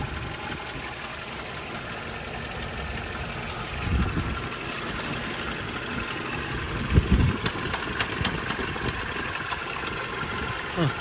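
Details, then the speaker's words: Toyota Tacoma 4-cylinder idling during fuel filter work under the intake: irregular tinny rattle coming and going; loose intake rattling on a metal plate. "So that metal noise is this intake. Just rattling around on that little metal plate."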